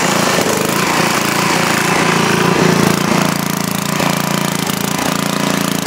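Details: Freshly rebuilt 10 HP Briggs engine on a 5000 W Coleman generator, formerly smoking, on its first run after new rings: loud, steady single-cylinder clatter, even beat, no misses or surging; started right up, no smoke beyond lube oil put in cylinder.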